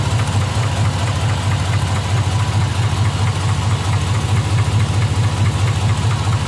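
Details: 2005 Z71, L33 block rebuilt under 20,000 miles ago: deep, steady knock about twice a second at warm idle, only once the engine reaches operating temperature; cause not found.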